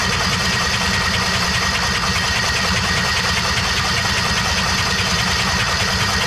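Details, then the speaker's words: Kawasaki Mule 2510 auction find, cranked with spark plugs out: uneven churning with wet hissing spray as antifreeze sprays from the cylinder. Massively blown head gasket. "So, we have a massively blown head gasket on this thing. That sucks."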